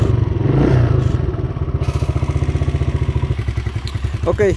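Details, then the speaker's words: Motorcycle on road test on a main road, light throttle: low uneven chugging pulsing about three to four times a second, revs never climb, bike won't pull; owner reports it bogs around 6000–7000 rpm and sometimes stalls; engine bogging under acceleration. "llegamos a la vía principal y aceleramos un poquito y resulta que se comienza a ahogar se comienza a ahogar y no revoluciona la moto no camina"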